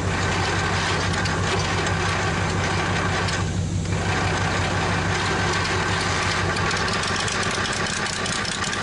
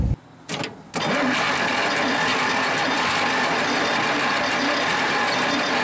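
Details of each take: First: Probably 1947 Worthington tractor with a Chrysler 218 flathead six, just started after decades: a steady, even idle with a smooth low rumble and no misses or knocks, now running on all six; compression later came up to about 90 psi from about 60-70; normal idle. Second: 1947 Worthington tractor with a Chrysler industrial 218 flathead six, sitting for decades: the starter cranks steadily but it won't catch; low compression suspected from sticking valves.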